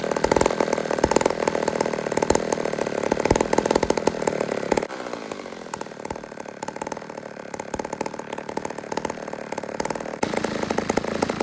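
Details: Old 150 chainsaw made in Toronto, Canada, donated, after carburetor work: steady, even buzz with no stumbling or surging; runs and idles cleanly, normal running.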